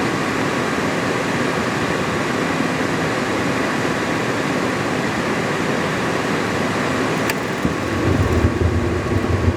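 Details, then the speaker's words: Attwood 8535-III RV furnace after reassembly with a new blower motor; the original burner tube (small rust hole) and original electrode are refitted. It fires right up with a steady, even roar of burner and fan, with no pulsing, popping or scraping. Normal burner operation. "Fired right up. See if it breathes a flame. Well, y'all can probably hear burning like a champ."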